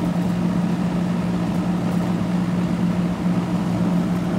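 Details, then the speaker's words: About 1991 ICP HVAC condenser unit, compressor wouldn't start (condenser fan ran); with hard start kit temporarily connected at capacitor, compressor breaks free and runs with a steady low even hum. "Let's see if she'll start now with a hard start. Yep. She took off. Hard start broke her"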